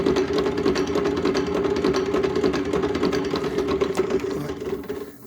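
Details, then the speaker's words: 8FUN 36V 250W geared e-bike hub motor from a La Poste bike, spinning: a hard, uneven clacking about three per second over the motor whir; the plastic planetary reduction gears are damaged, so the motor is opened and the gears replaced. "alors on entend que ça claque a toujours intérieur donc ça veut dire que les engrenages son musée"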